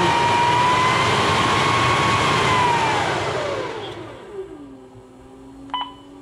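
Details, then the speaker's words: Turbo Chef oven in test mode during F3 error diagnosis, before reheating: cavity blower comes on and smoothly ramps up then down evenly to a low hum, normal blower operation. "As you can hear, the cavity blower came on. You can speed that up, make sure it amps up and down."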